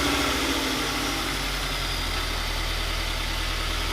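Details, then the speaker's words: 2020 Toyota 86 just started after fitting Megan Racing headers and overpipe with catback, one bolt not fully tight: steady, even, very quiet idle with a fast, soft exhaust pulse and no ticks or rattles; healthy. "very quiet"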